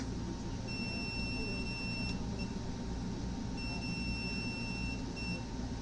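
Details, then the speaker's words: Samsung PN58B550T2F plasma TV power board, turned off after a loud pop: meter continuity tone held over a second, twice, on power-board diodes; two diodes test shorted. "yeah these two dutes are [Music] short yeah I find two diodes this ones here and this Stoner board"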